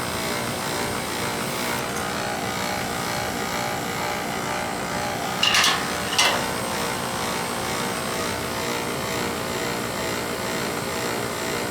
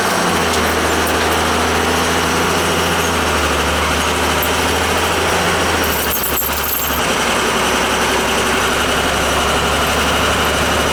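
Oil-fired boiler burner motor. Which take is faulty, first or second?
first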